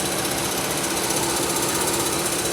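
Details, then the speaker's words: 2003 Pontiac Grand Am GT, engine screaming hot at idle with AC on: fast dry rattle from the AC compressor, confirmed as the source rather than the water pump; belt tension had been suspected, and a coolant leak remains unexplained. "yeah that's that's the noise so it's it's the ac compressor not the water pump"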